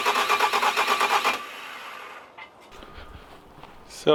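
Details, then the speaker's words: Wrecked Bobcat skid steer diesel after a camshaft cleanup and a new fuel pump: rapid rhythmic starter chugging for over a second, then it cuts out without catching; cranks but won't start, owner suspects air in the fuel system after long disuse. "Stute YouTube Watchers probably notice it's a different day and that's because we couldn't get it started last night"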